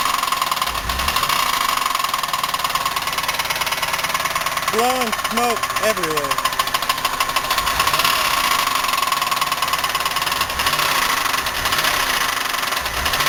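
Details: 1990 Buick LeSabre 3800, unknown mileage, idling with valve covers off; steady heavy deep knocking repeating with engine rotation; bearing, lifter or rod suspected, not confirmed; owner considers engine trashed.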